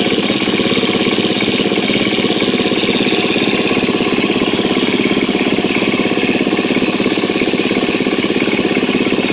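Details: 2013 KTM 250 EXC-F after valve clearance check and Dirt Tricks cam chain tensioner install, first start with tank back on: crisp, even single-cylinder idle at a steady quick beat, no knock or rattle; sounds healthy so far.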